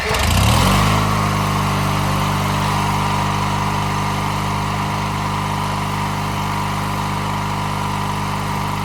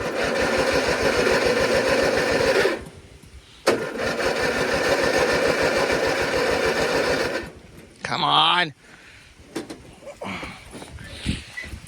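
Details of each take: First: 1997 MTD Yard Machines riding mower whose tank, fuel lines, filter and carburetor had run completely empty; refueled and hard to start, it catches within a second, then settles into a steady, even low drone. Running normally. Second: 1997 MTD Yard Machines riding mower: fuel tank, lines, filter and carburetor were completely empty, gas just added. Two long bursts of even starter chugging, about four per second, never firing. Cranks but won't start from fuel starvation.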